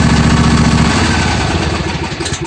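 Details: John Deere D155 lawn tractor with intermittent no-crank complaint, after wiring check and connector secured, started on choke: short stretch of steady, even single-cylinder idle with no misses or knocks, then winds down; normal idle.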